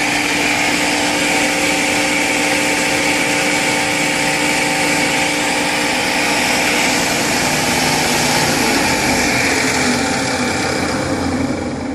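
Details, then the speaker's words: Table saw, new vibration after working normally days earlier, belts already tightened: steady high motor whine with a loose, uneven knock three to four times a second; first thought a bearing, now suspected belt-related, not confirmed. "so you can definitely hear that knocking noise at first we thought it might be a bearing but i don't know it seems to be more belt related"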